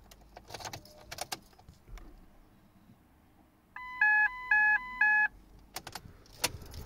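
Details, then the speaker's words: Ford Mondeo (Copart car) with a fuse pulled after finding fuses in wrong positions: three bright two-tone dash warning chimes about twice a second still sounding without that fuse. "So since I've now pulled that fuse out, I'm intrigued to see if this will still scream at us without that in."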